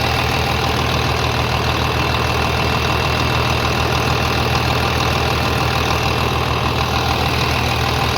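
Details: 3588 at 7,338 hours, idling on a freshly rebuilt engine with new cylinders and pistons; smooth, even low rumble at about 200 beats a minute, no knocks or ticks, very quiet; a slight line leak was found, to be tightened; normal idle.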